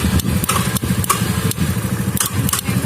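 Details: Honda Vario scooter with new battery whose electric starter only clicked due to weak relay in CDI, after rewiring starter relay circuit: starter spins briefly, engine catches and settles to even idle with light ticking; starts fine now.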